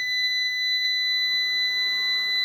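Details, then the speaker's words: Must PW1800 inverter after transistor repair, overloaded by another 200 W: it trips into protection with error 52 (inverter bus voltage too low) and sounds a steady shrill tone near 2 kHz. "Ну давайте довантажимо ще 200 Вт ло 200 і пішов в захист тепер 52 помилка тепер добре перезапустимо подивимося 52 - це занадто низька напруга на шині інвертора"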